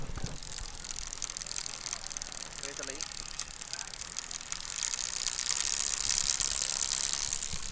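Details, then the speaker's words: Hero/Honda-type motorcycle after chain tightening: dry crackling chain rattle about three per second over ticking wheel; chain running dry, cured by oiling. "मेरे मित्र fashion bike है इसमें चैन tight किया लेकिन इसमें कड़कड़ हट की आवाज आ रही है आवाज कैसे आ रही है दिखाते"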